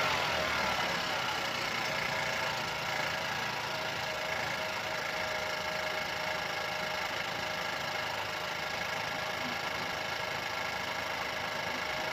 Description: In diesem Video hörst du das markante Geräusch unseres Opel Astra K aus dem Jahr 2017. Dieses Geräusch wird durch eine gelängte Steuerkette verursacht.